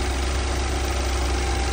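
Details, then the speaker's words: BMW 528i F10 with shaking, stumbling complaint and an oil leak, morning cold start before any service: loud heavy steady idle drone with rough low throb; not this loud when warm; cause not yet found, valve cover removed next. "แต่ว่าตอนตอนที่ลูกค้าขับมาเครื่องร้อนน่ะเสียงไม่ดังแบบนี้นะครับแต่พอตอนเช้าเราอุอ่าเราสตาร์ทเครื่องนะครับดังประมาณนี้นะฮะ"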